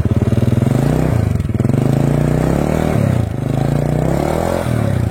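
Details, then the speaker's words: Honda Supra 100 after new piston, piston rings and valve stem seals to cure rough running, oil from the spark plug hole and white exhaust smoke: small single revs settle back cleanly, even beat, no knock or rattle, no exhaust smoke. "Nah untuk mesinnya udah lumayan halus ya dan pastikan untuk bagian knalpotnya ya ketika kita lakukan gas seperti ini harus enggak ada asepnya"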